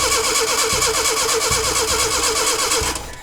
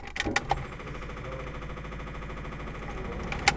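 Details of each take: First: Rebuilt Datsun pickup engine: starter turns it about three times a second without a single catch, then stops; cranks no start, has air and fuel, suspected no spark; ignition timing a tooth off. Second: Datsun pickup with freshly rebuilt, fully disassembled engine, first battery hookup: faint, fast, even ticking with engine off and a couple of clunks; electric fuel pump priming the lines, after which a fuel leak was found.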